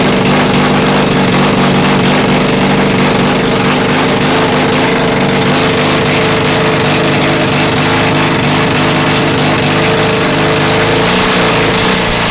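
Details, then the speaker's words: Honda CB450 engine on CB400 carbs, 400 CDI and 250 wiring loom, first start of an unknown engine on an auxiliary tank: loud, ragged twin running with uneven exhaust popping and flames from the exhaust; sounds awfully hot, mixture suspected off, cause unconfirmed. "But it runs. Wow. That sounds awfully hot."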